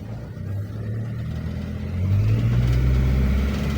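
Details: Nissan X-Trail T30 automatic in D revving to 3,000 rpm, pitch climbs then holds high with no shift; stuck in first, not upshifting. Engine light now off; when it comes on, revs limit at 2,500 rpm.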